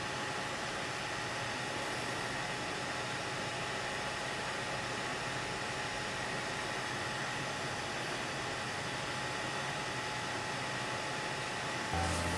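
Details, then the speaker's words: Hackintosh PC: loud constant rush of air with a thin steady whine from the stock boxed CPU cooler fan, while the GPU and case fans are silent; before the Arctic Freezer 13 cooler upgrade; loud CPU cooler fan. "so okay you have the sound of my pc it's really really bad"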